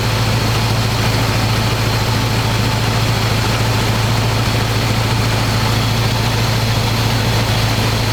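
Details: 1985 square-body 454 big block, 4-speed, sat 20 years, oil and filter changed; after adjusting idle screw that wasn't touching throttle, warm engine idles smooth: deep loud even open-pipe rumble, steady beat, no misses or knocks. Normal idle.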